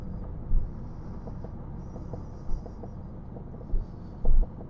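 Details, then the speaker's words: Jaguar XJS V12 driven after sitting 20 years: low road rumble with four dull, uneven thumps from the unlatched bonnet left open deliberately, latch possibly sticking; bonnet banging, not mechanical. "if you hear that banging that's just that the uh bonnet is not close i want to have it open in case something happens"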